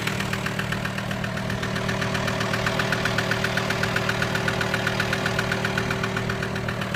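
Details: VW T5 with AXD diesel engine at steady idle with a regular sharp knock, about four per second in time with the engine; cause not yet found.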